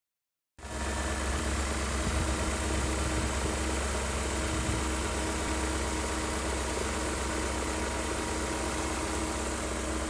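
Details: BMW E39 M5 at idle, after replacing the oil separators and upper hoses because of black exhaust smoke: smooth low rumble with a light steady mechanical rattle; judged to be the engine's normal sound.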